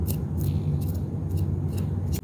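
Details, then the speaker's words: New brush roll for a Hoover Air Steerable (older model), bearing spun by hand near the microphone: low, even whir, no grinding or roughness; bearing runs smooth and healthy. "there's no noise at all. There's nothing. It's nice and smooth. No grinding, nothing."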